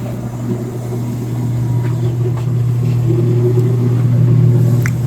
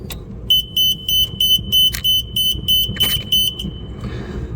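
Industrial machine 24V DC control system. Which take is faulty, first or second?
second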